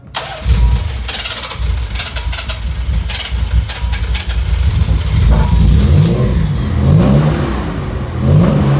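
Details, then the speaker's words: 1990 Nissan 300ZX on the third start attempt, after a leak was taped up and sliced fuel lines and the battery harness were repaired: catches and runs steady with clean throttle blips, much smoother than before. "look at how much nicer oh wow yeah way nicer"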